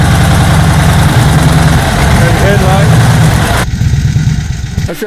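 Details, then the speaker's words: A 1931 Harley-Davidson V-twin started after a priming process with the mixture enriched. It gives a lumpy, loping low thump at an even beat as it settles into idle, steady and healthy. Normal idle. "of course Bill's main interest is old Harley's so we got to see more of that 31 and this time bill started it up which was a process and it sounded really cool"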